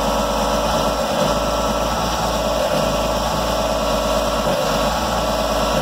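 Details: 2004 Jeep Grand Cherokee 4.0 inline-six, lifted junk purchase, running on a temporary exhaust: loud, harsh, clattering idle with a steady mechanical rattle. Abnormal engine noise; owner thought it sounded oil-starved but it has black oil, cause unclear.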